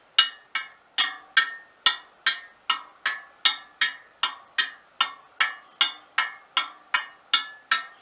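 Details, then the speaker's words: Front wheel of a 1939 Royal Enfield 500 Model J Bullet, after truing and realigning bent wheels: about twenty crisp, same-pitch spoke taps per side, showing equal spoke tension on each side. "there we are 20 they're all sound pretty much the same as each other and now the other ones 20 there all sounding pretty much the same as each other so that tells me that there's equal tension on the spokes on each side relative to each other"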